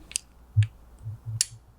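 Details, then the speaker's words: Honda CB125 RFID keyless ignition unit on temporary wiring and a small battery: sharp relay click as the key fob is held near, another about a second later as it switches off; working normally. "hold it near, and you can hear the click. Turn it off again. So you can see that's how that works."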